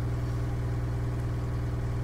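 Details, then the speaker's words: John Deere skid steer diesel at low idle during an injector cutout test run from a diagnostic laptop: one cylinder is cut out and the steady idle turns slightly lumpy and uneven as that cylinder drops. "So we'll cut the cylinder out real quick and hit confirm. You can hear that cylinder drop"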